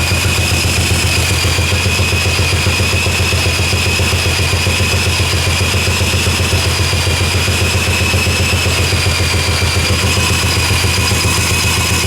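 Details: 1984 Honda ATC three-wheeler, single cylinder spun over by a drill: steady fast chuffing, about 220 beats a minute, never fires, and the airbox bounces with pressure coming back through the intake. Owner suspects an intake valve adjusted too tight. Cranking no-start.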